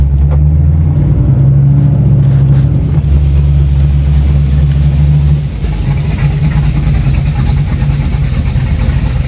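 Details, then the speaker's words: 1987 Chevy Monte Carlo SS at about 480 hp, warm after a water pump fix, with good cooling pressure and the coolant temperature staying low: a loud, throaty exhaust settles to a steady low idle after a blip, with no ticks or squeals. Normal idle. "show me I don't think anything's on fire sounds good good good good thank you"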